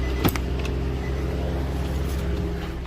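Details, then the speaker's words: Infiniti G37/G35/Q40 at idle with AC off and nothing switched on: steady low whir of the engine cooling fan running constantly (about 99.9% of the time), no overheating, coolant at proper level; louder closer to the fan; faulty fan control module, to be replaced. "okay so the car is on right now and you see the ac is off nothing's on and you hear you hit a fan i don't know if you hear it from here but then you go closer it's going to get louder"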